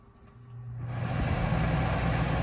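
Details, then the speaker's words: Coleman Mach 3 NDQ roof A/C in a Winnebago Travato 59GL, start-up on high cool, recorded with an iPhone mic: a faint hum, then the fan spins up, then the compressor starts, into a steady airflow rumble; normal start-up. "Fan first, then the compressor. So compressor is running. This is the high speed."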